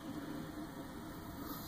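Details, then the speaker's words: Old 1.5 hp three-phase motor on a South Bend lathe being converted for wood turning: steady drone with a faint hum and a slightly uneven, grainy texture; it runs very rough, and the owner plans to replace it with a single-phase motor. "still runs but it's very rough it's also very old so putting an inverter on it might actually end up killing it"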